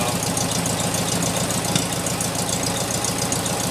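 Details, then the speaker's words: 1972 VW Beetle air-cooled engine idling with uneven stumbling and light popping misfire; pulling number two plug wire stops popping and smooths idle without rpm drop despite good spark, reconnecting brings misfire back. "Let me go ahead and connect it back up here. You can immediately start to hear that misfire again."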